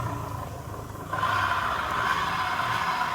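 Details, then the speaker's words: Honda Vario 125 scooter, wheel pushed or spun from behind and engine warmed: rough gravelly growl from rear CVT area, worse in reverse, louder as wheel spins up; worn 6902 bearing in rear CVT pulley. "ketika sepeda ini Hai didorong ataupun diputar rodanya dari belakang dia bunyinya amat kasar"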